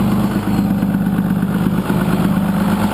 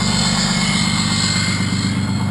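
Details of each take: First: 6.2L Cummins diesel, exhaust brake worked off the idle side of the throttle lever: note surges and sags about twice a second as an intermittent switch with unsoldered, vibrating wires cuts the exhaust brake in and out. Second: 6.2L Cummins diesel with exhaust brake engaged, heard from inside the cab: deep steady drone with even roar, jet-like; exhaust brake working normally with strong braking, though its switch is intermittent.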